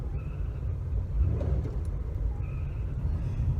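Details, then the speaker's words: Car with new belt, while driving: thin high squeal in short bursts when lifting off throttle after speeding up from about 35 to 45 mph, also at startup; temperature normal; owner suspects A/C compressor clutch, unconfirmed. "Usually right after I accelerate, remember I said I might be doing 35 miles an hour, and I'll bump the car up to 45, in a speed zone or something, and then when I come off the gas, I get that squall."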